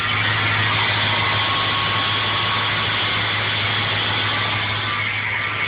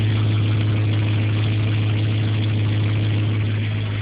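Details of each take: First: Ford Powerstroke 6.0 diesel idling, mic at tailpipe with solenoid plugged in: harsh raspy grinding roar from the exhaust, boost gauge at 0; noise disappears when the solenoid is unplugged, cause unknown. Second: Ford 6.0 Powerstroke diesel idling with the solenoid unplugged: a steady, deep, even drone with no grinding, and a normal exhaust.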